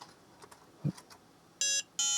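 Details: Book8088 laptop (8088 IBM PC compatible) with an intermittent fault, previously repaired chip area pressed: light click then two short, high, clean beeps; system posting, fault cause still unconfirmed.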